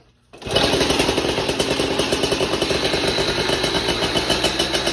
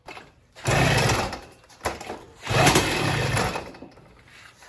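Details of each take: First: Motorized bike small two-stroke on stock ignition system: crisp, steady buzz with even firing, settling smoothly as revs drop; runs flawlessly. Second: Motorized bike two-stroke just fitted with California Motorbike catnip ignition and coil, carburetor unchanged: two short bursts of popping that catch under a second then die; fires weakly, won't keep running. Cause unconfirmed.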